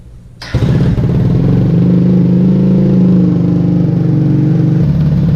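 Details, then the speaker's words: Vader 125 (Grom clone) cold start on choke with the new exhaust fitted and the baffle in, while still awaiting Mikuni jets. It catches and settles into a steady, even low burble, firm but not harsh; a normal idle. "You know what? It's really not that bad. I don't mind it."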